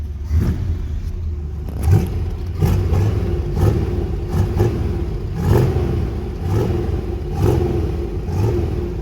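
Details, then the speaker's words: 1968 Pontiac GTO 6.5, sat about a month, cold: engine blipped in uneven bursts about once a second with lumpy rough low rumble; owner says it sounds terrible, rough running, cause unknown. "no that sounds terrible we're just gonna put it back in the garage"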